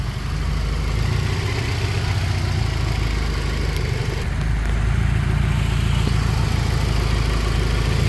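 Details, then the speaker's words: Sleeper turbo Honda, running well since a fuel issue was fixed. A steady, even, low idle rumble with no misses, stumbles or surging; the engine sounds smooth and healthy. "Yeah guys, this thing is running absolutely amazing ever since we fixed that fuel issue."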